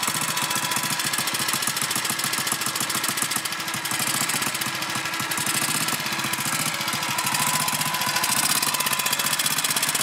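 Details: BSA M20 engine: fast, sharp mechanical ticking over a thin engine note that stops and resumes, hard to hear; intermittent engine noise, source unclear.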